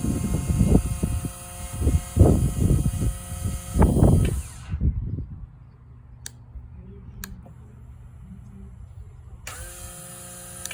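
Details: 2022 FTR 1200 cranks in uneven bursts for about four seconds but never catches: cranks but won't start.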